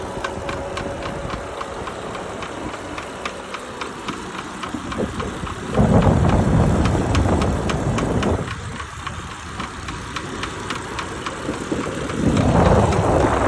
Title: Our lectric trike was making noise customer service was great they sending a new bike. These are#1